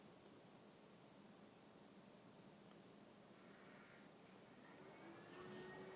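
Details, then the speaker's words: 2009-2010 BMW 535i 3.0L I6 after thermostat and housing replacement, coolant bleed cycle with key on, engine not started, heat up, blower low, accelerator held 10 s: faint steady whir and hiss of electric coolant pump running normally. "And you can hear the pump going. You can let off the accelerator pedal. This is going to go for about 12 minutes."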